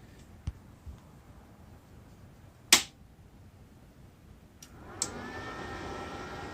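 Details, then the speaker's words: Welder just unboxed and switched on at the rear power button, not welding: a couple of sharp clicks, then a steady airy rush after a short delay. The cooling fan is running normally. "hopefully you guys can hear the fan and it is blowing yeah those hair coming up it's definitely definitely working"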